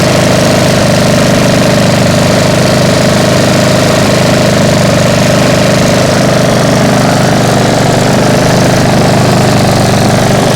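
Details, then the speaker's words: Freshly restored single-cylinder mower after about 20 minutes running warm: steady even beat with deep hum and occasional faint hunt; healthy, a little loud, owner suspects a slight exhaust leak. "so it seems to be running just fine a little bit loud because yeah I think yeah the exhaust is leaking a little bit"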